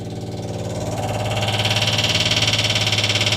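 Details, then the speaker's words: Mini engine with supercharger fitted in the Big Bogey, ignition on with some fuel in the tank: loud buzzing drone with a fast pulsing beat as the electric fuel pump primes; a noisy fuel pump, and a fuse blew afterwards. "Okay, so it's got some fuel in the fuel tank. We're going to hear the fuel pump first. That's a bit noisy."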